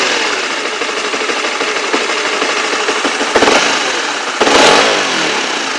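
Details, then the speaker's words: Honda CB/CBR-type motorcycle after the klotok knocking was fixed; oil was suggested to check before replacing the tensioner or cam chain. Two clean throttle blips settle back with no knock or clatter, and a normal deg-deg idle beat. "Oke, suaranya normal. Jadi seperti itu. Sudah teratasi suara mesin kelotok-kelotok."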